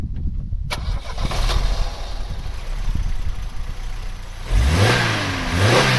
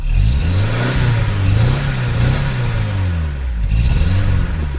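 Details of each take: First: Vauxhall Cavalier GL, 1.8 litre SRi 130 top end, 45,000 miles, after refitting injectors and airbox: about four seconds cranking, fires, clean rev blips, settles with no missing or stuttering; misfire cured. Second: Vauxhall Cavalier GL, 1.8 litre SRi 130 top end, 45,000 miles: clean on gentle throttle but stumbles and wavers when opened up, as if fuel-starved; misfire blamed on faulty injector, injector replacement planned, tired K&N filter.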